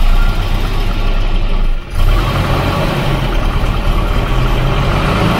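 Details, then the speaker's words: Volvo 240 Redblock B230 engine (the noisy motor) at idle: hollow rhythmic slapping knock under the exhaust note, too loud, slaps like that no matter the temperature; piston slap. "it slaps like that no matter the temperature a bit too much really yeah it's just a bit too loud"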